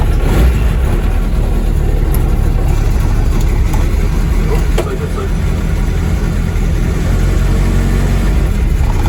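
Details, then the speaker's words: Car driven after the gearbox and clutch were refitted; a deep, smooth engine note pulls evenly under light load with no slipping, knocks or grinding, while the electric water pump circulates coolant; the drivetrain is healthy, though the clutch pedal releases high. "yeah it's all spot on and that noise to see electric water pump it just uh casual circulating the water while the Fan's going to call the engine down um yeah runs nice clutch works lovely"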